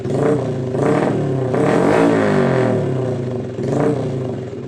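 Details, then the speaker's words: Honda Blade small motorcycle started after checking wiring from regulator (kiprok) to battery to ignition switch for a short circuit; neutral light on, engine runs steadily and picks up cleanly through throttle blips with no misses, normal. "Oke normal ya posisinya normal ini"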